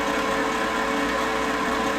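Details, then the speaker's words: Lincoln Power MIG 210 MP after drive motor replacement, dry feed with gas off: even, steady constant-pitch whir with no grinding, catching or surging; the new drive motor runs smoothly in the correct direction. "the uh Drive motor sounds a lot better than the old one did it's actually working so that's a"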